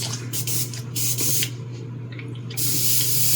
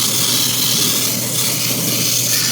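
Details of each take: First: Airbrush tested for spraying after another was found dirty: steady hiss of air and paint in short bursts as the trigger is worked, clean and even; airbrush spraying properly. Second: Airbrush spraying Vallejo Model Air red straight from the bottle: steady air hiss with a rough, uneven sputtering edge because the paint is a bit thick; thinning it slightly would help.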